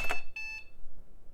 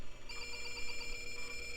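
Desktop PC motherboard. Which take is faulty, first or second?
second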